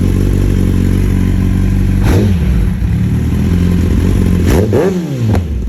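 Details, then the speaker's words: 2020 Kawasaki ZX10R with a newly installed slip-on exhaust. Loud, deep exhaust with sharp rev blips and uneven popping and crackle as revs drop, shooting flames. It breaks up at low RPM; the owner suspects the ECU needs a tune, unconfirmed. "I think a bike might need a tune now with the ECU having that exhaust like that because it breaks up a little bit in low RPMs"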